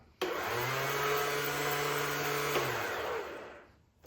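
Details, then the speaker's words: Honda CT70 with a Zongshen 190cc/212cc engine: smooth electric whir spins up and winds down with no cranking beats; starter freewheels without turning the engine; owner hopes the starter chain isn't broken, cause not yet confirmed. "So when you engage the starter, now listen closely. You can hear it running. I hope the chain's not broke, but we'll find out when we get in there."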